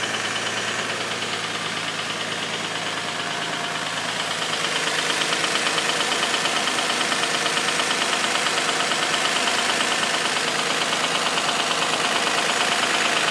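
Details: Infiniti G35 started after sitting about a week, loud knocking at startup that subsided: now an even idle with crisp regular tick-knock about two per second; belts ruled out, oil consumption tests passed, cause unclear.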